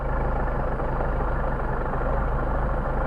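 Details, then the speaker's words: Mercedes 190SL Solex carburetors on bench test. With the second-barrel throttle plates held shut, the idle settles just above 1000 rpm; both second barrels are leaking air excessively, causing the high idle. "So that gives us a little bit above 1,000 RPM idle. We're still running too high here on the second barrel butterfly."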